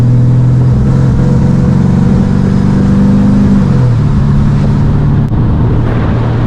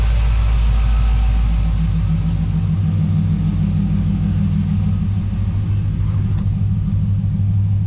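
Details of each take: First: 1985 GMC Sierra C10 with 5.3 LS swap, on the road warmed to 180: engine drones under throttle, then falters and drops away, a stumble under load. Crank, cam, MAP sensors, coils, injectors checked fine and throttle body replaced; cause unknown. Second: 1985 GMC Sierra C10 with 5.3 LS swap, just started after a backfire, good oil pressure, fuel pressure about 60: deep steady idle settling to about 700 rpm, no miss, running smooth.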